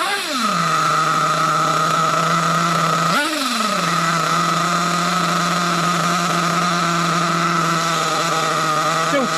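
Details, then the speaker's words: Nitro Trophy RC buggy just after a low-speed needle adjustment: the high buzz drops after each throttle blip and the idle sags low; the low-speed needle setting is still off, possibly lean. "Oh, no. It's dropping down a bit."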